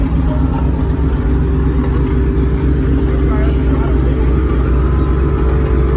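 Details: 1969 Chevy Impala big petrol engine runs rough and loud with a raspy, puffing exhaust note from an exhaust leak.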